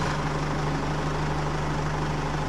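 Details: Isuzu D-Max 4JK1 diesel idling just after starter motor replacement cured a slow 4–5 second crank, battery new and uncharged overnight: steady, even diesel clatter at a settled idle, no dragging crank or stumble, normal idle.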